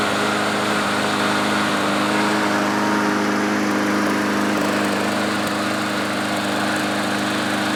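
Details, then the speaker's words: Troy-Bilt front-wheel-drive self-propelled mower with fuel stabilizer added: running steady at speed with a faint unevenness in the beat, much better than earlier; owner expects roughness to clear with more running and fresh gas. "so it runs a lot better than how it was running earlier and I think honestly I just need to run this thing for a little bit while longer and put some more gas in it and that should clear up"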